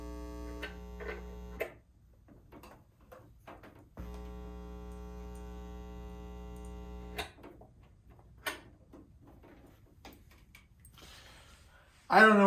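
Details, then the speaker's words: Carver TFM 4.0 magnetic field power amplifier, said to need a recap: steady low buzz with ringing overtones starts, stops, returns, jumping between right and left channels, persisting after power-off; cause unknown despite trying other speakers, cables and a line filter. "it kind of jumps between the two channels right and left channels"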